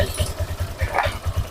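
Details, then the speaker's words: Honda Vario 150 injected scooter, high fuel use and fouled plugs, idling after swapping injectors back: lumpy, uneven idle thumps; the injector is not the cause. "sama ya teman-teman untuk injektor ini yang orinya sama yang gantian motornya tetap seperti ini pasti boros ya rangsamnya tidak stabil"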